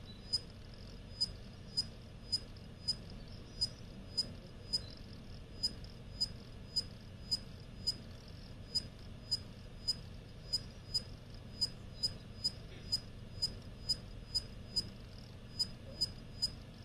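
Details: Used WD Purple 8TB (WD84PURZ) hard drive during writes: sharp, high, metallic chirps or whine, roughly two a second, over a faint hum; less noticeable during reads; SMART healthy, no functional issues.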